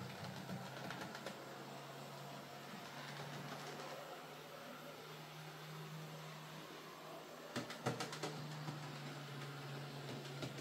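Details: Hornby J15 model locomotive, bought new a couple of years ago and slow and noisy since, after a motor swap with the worm gear regreased: faint steady motor hum under light track clicks, no grinding or whine; now running a lot quieter and smoother.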